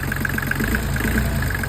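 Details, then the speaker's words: New Volvo Penta D1-30 marine diesel on a sailboat, idling after start: even, steady beat with a soft regular tick and no knock or miss; a healthy engine. "And it's a good engine then. It's a very good engine."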